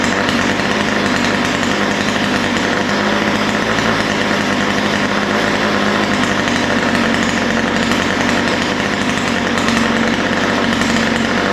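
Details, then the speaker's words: Ryobi two-stroke string trimmer buzzing steadily at fast idle, even with no stumbling or surging. This follows a lean-running idle and top end, fixed by opening both mixture screws and fine-tuning the low-speed needle slightly rich. "yeah so that's what I like to see it sounds pretty good right now I took a little tinkering with the low speed mixture needle to get it just right"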